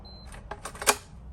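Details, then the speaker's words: Schlage BE365 keypad deadbolt after reinstalling so a wire no longer keeps it from seating: short keypad beep, a few light clicks and one crisp motor clack as the bolt throws cleanly; lock now works with the code. "give it a check does it work now did we fix it looks like we did"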